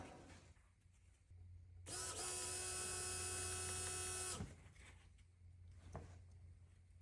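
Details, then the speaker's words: Fuel pump on a Renault Alpine GTA Turbo, left abandoned for years in storage, powered directly by jumping two posts. It gives a steady high buzzing whine for about two seconds, then stops. The pump runs normally; owner suspects nothing is signalling it to turn on when cranking. "The pump works."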